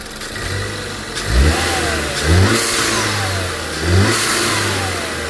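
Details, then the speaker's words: Engine a previous shop said needed replacing after a spark plug shot out, now running with a Honda Accord-type washer plug in the overbored plug hole: quick throttle blips return cleanly to a steady idle with no misfire or ticking; normal running. "Well, the main thing is, you know, she don't need a motor like they claim."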